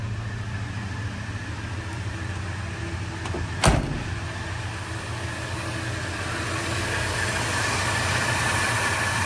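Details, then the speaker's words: 1977 Ford F-100 Custom V8, at low idle with the Frigiking A/C on: even low idle with soft steady pulse, no tapping or stumble, one brief clunk midway; smooth as a sewing machine, normal. "Smooth as a sewing machine. Listen to it purr."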